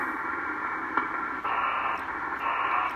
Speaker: hear how one's lowered one's high you want them kind of equally so you can tune the oscillator back here